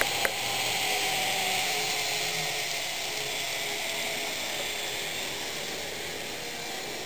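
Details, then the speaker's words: Fox Valley Models N scale GP60m locomotive, lubricated and broken in, no DCC or sound: steady high hiss and whir at road speed that fades when slowed to yard speed; bearing noise at speed. "And you can hear that bearing noise. If I slow it down, you'll hear that bearing noise begin to go away."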